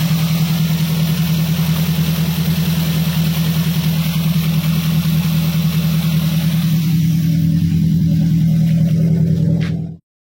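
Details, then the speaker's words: Daihatsu Gran Max after repair for fast oil loss, oil leak and a misfire (cylinder 4 not firing, coil replaced): smooth, even low idle with no stumble for ten seconds before shutdown; the misfire is gone, normal idle. "oke teman-teman disini mesinnya sudah menyala Ya sudah hidup pincangnya juga sudah hilang"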